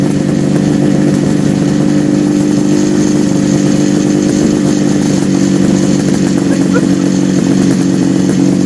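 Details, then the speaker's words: 1974 Kawasaki H2 750 two-stroke triple just restarted after 34 years, oil put down in the chambers causing smoke: crisp even buzz at steady fast idle, no missing beats, all three cylinders pulling evenly; normal running. "Now, all this smoke is because it's a two-stroke, Yeah. plus you put oil down in the chamber."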